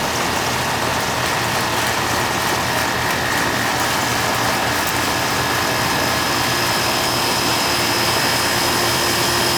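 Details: Old Amana R22 AC condenser set to cool so it keeps running, pressure around 141: steady fan rush with an even compressor hum and a faint constant tone, no rattles or surging; running normally and strong.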